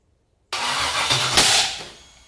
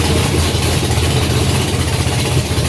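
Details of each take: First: Junkyard LS 5.3 V8 first fire on an engine stand catches with a ragged, uneven burble and a sharp pop; backfiring. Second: Junkyard GM LS 5.3 V8 first fire on engine stand with FiTech Ultimate LS kit, 20 psi oil pressure, no coolant, brief run; loud steady idle with even burble, no knocks or misfires; normal idle.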